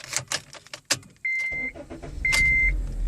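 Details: 2011 Honda Civic that cranked but would not start, with the immobilizer light blinking. After a decor ring glued on the ignition cylinder was removed, a couple of chimes sound and the engine catches immediately and settles into a steady, even idle.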